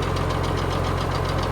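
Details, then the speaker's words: Farmall 1206 diesel tractor with non-original cab, idling: a fast, even mechanical tick rides over the low rumble, somewhere in the driveline, cause unknown; three-point slow to lift, TA not working. "You can hear that ticking noise somewhere in here. Which is interesting."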